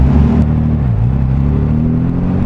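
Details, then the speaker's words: One-owner 1962 Austin Healey 3000 MK2 BT7, tri-carb six-cylinder, driving off: deep smooth even exhaust rumble, steady revs under light load, no knocks or misses; great-sounding healthy engine. "so let's take a spin it's right up oh yeah the great sounding car yeah"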